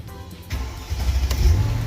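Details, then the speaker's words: 2002 Mercedes CLK430 5.0L convertible, intermittent no-start with crankshaft position sensor code, after repair: engine cranks briefly then catches and settles into steady even low rumble. Normal start; no warning lights on later freeway test drive. "oh right obviously this one will'll have it [Applause] too all right I think it's fixed but I'm going to go for a test drive"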